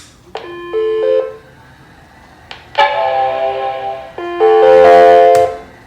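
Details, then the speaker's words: Macintosh LC-series machine with unidentified memory SIMM fitted: startup replaced by three distorted arpeggiated tone bursts, the sad Mac chimes of death; bad RAM SIMM suspected, probably needs a recap, cause not confirmed. "Okay, so it's still making the sad Mac noise. The noise is weirdly distorted. I wonder what this is."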